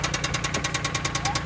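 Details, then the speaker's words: Car just unloaded from a trailer, idling rough: rapid even knocking about thirteen per second, a clear internal engine knock, and it burns oil; cause not pinned down, engine thought to need replacing. "You can hear the engine knocking. Burning some oil, too. Definitely could use a motor, but another project for the books."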